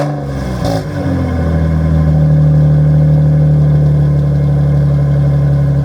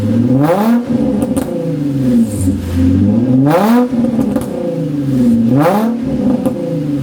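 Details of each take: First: Nissan 350Z at first startup on the ground after fitting a cheap used aftermarket exhaust from Marketplace, tips damaged; settles into a smooth steady idle with a deep, loud exhaust drone. Runs fine, but owner finds it too loud, sounding worse than before. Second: Nissan 350Z with roughly stock exhaust but muffler disconnected: loud raspy, harsh unmuffled blare rising and falling with each rev as exhaust escapes; used Marketplace mufflers to be fitted next.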